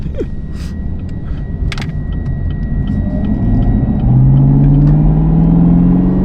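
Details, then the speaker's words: Chevrolet Camaro ZL1 while driving, around 20 km/h: thin steady high whistle from the rear, like fingernails on a chalkboard, independent of revs and speed; fuel system suspected, cause unclear. "klingt wie so Fingernägel an der an der Tafel irgendwie kraftstofsystem das ist unabhängig von den Umdrehungen unabhängig von der Geschwindigkeit"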